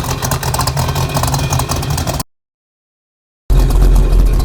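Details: 1968 Pontiac Firebird 400 convertible, true 400 V8 with Kauffman D-port aluminum heads, 700R4 automatic, dual exhaust, frame-off restored, started up: deep, even V8 burble with crisp throttle blips and clean return to idle, no knocks or misses; normal idle and revving.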